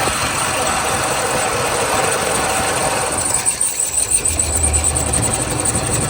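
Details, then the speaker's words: 1977 Lincoln Continental Mark V, first run after 3 years stored, varnished fuel filter, bad water pump: uneven lumpy idle, beat wandering three or four a second, smoking heavily; runs rough after sitting. "It's running. It's rough, but it's running. Yeah, she's a smoker. Definitely a smoker."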